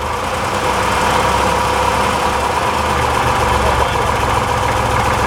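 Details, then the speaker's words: 1961 Corvair Lakewood wagon flat-six, fresh rings and valve job, hot idle: erratic rattle varying each crank revolution over fan roar, gone with slight throttle; fine cold; cause unknown, crank thrust bearing or timing gear suspected. "I hear it it's rattling wrapping away but it's erratic it's not consistent it changes a little bit every revolution of the crank shaft it varies slightly"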